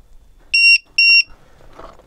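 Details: Low-voltage checker on a 2S 7.4V 4200mAh LiPo in a vintage electric RC car, balance plug connected: two short, shrill beeps about half a second apart, then quiet as menus scroll (total 8.3V, cells 4.15/4.16V); normal startup signal.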